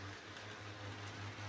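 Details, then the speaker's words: New model locomotive motor being run in, lubricated the night before after running incredibly noisy: steady low hum with a rough, rattly whirr on top; still noisy, owner expects it to quieten with running in. "if you can probably hear but it works it probably might quite an over time I did give it a little bit of lubrication last night cuz I it was incredibly noisy it was actually worse than this so it might just quieten down over time"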